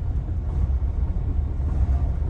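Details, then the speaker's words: Diesel truck at regular idle, fault code SPN 1328 FMI 31: deep uneven lumpy rumble, misfire that smooths out at higher rpm; low compression on cylinders 4, 5 and 6, improved by valve adjustment, not a bad injector. "is idling really bad definitely feels like a misfire now this is again at regular idle"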